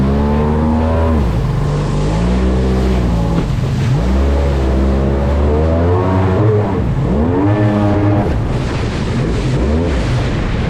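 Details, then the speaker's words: Polaris SL750 jet ski two-stroke on a cold 38°F lake, steady howl climbing and falling cleanly with throttle over water noise, pulling hard with no stumble; healthy under load after the issue was fixed. "fast yeah that fixed the issue that fixed the issue for sure okay that makes everything all worth it man"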